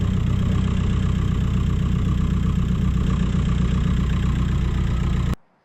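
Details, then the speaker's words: 1.9 TDI diesel Seat Ibiza after jump-pack start at 12 volts, possibly weak battery or pack; steady diesel clatter at idle with firm low rumble, even rhythm until shutoff; normal idle. "I think the battery was a little bit weak, or the jump pack were a little bit weak, but literally started straight away. So, happy with that."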